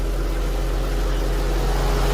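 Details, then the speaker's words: Infiniti M45 with VK45DE V8 after replacing the tensioner pulley with a Gates unit and a test drive: a steady, low, even hum with no whir, squeal or chirp. The noise is gone. "all right guys so after the drive checking it out you see the noise is completely gone does it make that noise anymore so it's just that pulley right there that was making a sound"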